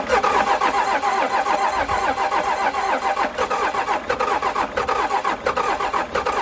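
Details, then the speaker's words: Cummins 6BT 12-valve roll-back tow truck after piston replacement and thinner head gasket, cranking on jump pack after injector bleeding: steady ~90 rpm cranking, no firing; primer/lift pump found pouring diesel, suspected as the cause. "I'm pretty much at a loss but I have found something very weird and I just looked it up and I think it's the problem so I think I just found why this thing won't start"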